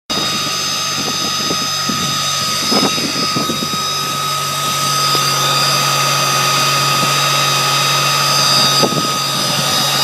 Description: Anyone heard this noise before? Car has been supercharged but noise doesnt sound like the whining from the charger.